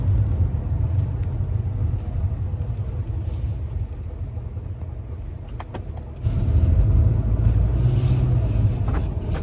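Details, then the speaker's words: 2025 Mazda CX-50 Turbo driving before failure: a low rumble that rises with speed, with faint irregular knocking underneath. Both front CV axles failed and were replaced. "And unfortunately, my girlfriend has had 2 CV axle failures, so both left and right sides in the front. The car was in the shop for a couple weeks, got it replaced, and here's what that actually sounded like before the failure, so you guys can hear it and be aware in case your CX-50 develops something similar."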